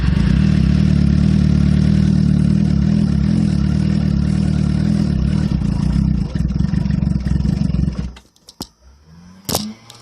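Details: 2007 Suzuki GSX-R cold start after sitting overnight or hours in the cold: fires, then runs rough and lumpy for about eight seconds, stumbles and dies, with a very rich exhaust smell. A shop found no issue; a light rev sometimes brings it up to normal idle.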